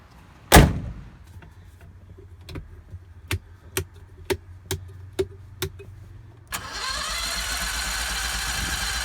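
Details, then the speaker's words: 670 cc Predator engine in a Renault, with a new exhaust and the governor removed. It fires, then gives hollow pops on each throttle blip and sounds lean. It settles into a busy, high idle, which is high because of the compression relief mechanism. "well it runs but it sounds like it's running lean when I goose the throttle"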